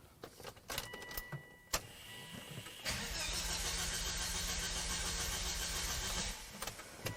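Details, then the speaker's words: 2005 Volvo V70R, salvage auction car, crank signal disconnected for fuel pressure test: faint starter churns about 2.5 beats a second for three seconds, no firing; gauge dropped from half to empty, low fuel pressure; out of fuel. "I also noticed that when I first started cranking on this thing it showed half a tank and now it shows nothing so I don't know what that's about"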